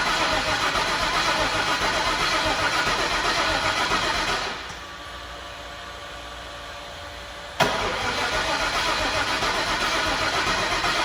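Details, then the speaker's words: 2003 Mustang Mach 1, MMR stocker, twin turbos, full fuel system, 4R70, weak battery: starter cranks evenly about four times a second but never catches; gas gauge very low, fuel pressure near 20; crank no start, likely out of fuel. "I'm wondering if it's out of fuel the gas gauge is super low and uh sounds like no fuel we'll check the pressure quick"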